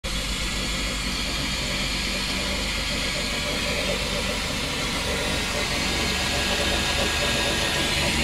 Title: Chrysler 300M 3.5L knocking noise